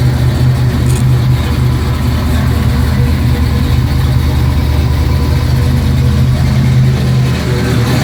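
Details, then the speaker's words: 1972 Mustang Mach 1, rebuilt 351 Cleveland Cobra Jet V8 with Wolverine Blue Racer cam, engine not yet warm so revs kept low; steady deep lumpy idle with heavy low rumble and even firing; normal idle. "The engine's not warm yet, so I'm not going to tack it up real high. But this engine is capable of doing over 8,000 RPMs."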